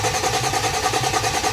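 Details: 2008 Dodge Nitro after engine change, first start attempt with starter jumped and good fuel pressure: starter cranks evenly at about five pulses a second but never catches; no power found on a yellow wire.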